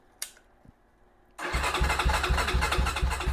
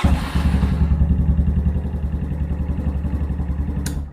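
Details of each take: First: Venom Ghost Chopper 250 motorcycle: steady starter cranking about three beats a second that never catches, with battery voltage, wiring and starter solenoid good; handlebar kill switch in the off position stops it starting. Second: Venom Ghost Chopper 250 motorcycle, after switching the handlebar kill switch on: catches at once and settles into an even, throbbing idle about three to four beats a second; healthy start.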